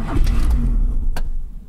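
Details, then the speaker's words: 1988 Honda Civic DX with OBD-1 computer, key turned in the ignition: engine catches with a heavy low rumble for about a second, then fades and dies; starts then stalls, owner suspects the ignition switch. "hear that it starts and then just goes off"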